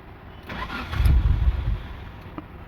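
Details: 2004 Mitsubishi Lancer on a cold morning: starter cranks in a low uneven churn for about a second before the engine stumbles and fails to settle; hard cold start, cause unclear.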